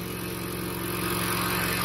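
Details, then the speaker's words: 2015 Toro Recycler 22-inch mower after auto governor/oil slinger replacement (idle had been stuck wide open), blade engaged; steady, even single-cylinder drone holding speed without hunting or surging, running properly. "But it sounds good now. It's running exactly the way it's supposed to. Blade engages."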